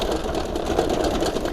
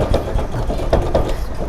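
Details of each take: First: Electric bicycle battery pack loose in its mount with gaps around it, shaken by hand: fast, dense plastic knocking heard over bumps and potholes, to be fixed by packing rubber sheet or foam into the gaps. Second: Electric bike being shaken after the gaps around its battery were packed with filler material. Only dull, soft thumps remain, with no loose clatter from the battery. Before the fix, the loose battery knocked over bumps and potholes.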